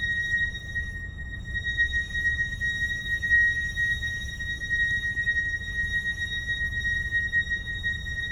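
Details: Mercedes GLC with a long, piercing, steady-pitch brake squeal lasting about 20 seconds over a low rumble, present since ownership began in late November 2019. The dealer says nothing is wrong but offers a pad change.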